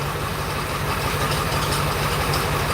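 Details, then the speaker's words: 2001 Ford F250 7.3L diesel idling just after a first start: steady diesel clatter with a constant rough whirring from the front belt area; AC compressor pulley failing. "Okay, it's noisy. You can hear some of this noise up here. You can hear our air conditioner compressor pulley ready to grenade."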